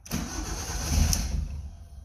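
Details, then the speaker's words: Van just refuelled (gas gauge not working), first start attempt: engine turns over with rough, uneven chugging for a couple of seconds but never catches, sounding like two cylinders running; battery found dead. "come on come on why are we not starting sort of running running like two cylinders oh battery's dead"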